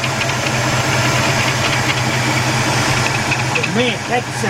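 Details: 1977 Buick LeSabre 350 V8 after engine removal and gasket overhaul, no leaks, warming up to burn off oil and paint: even idle with steady low rumble, no knock or miss; healthy and settled.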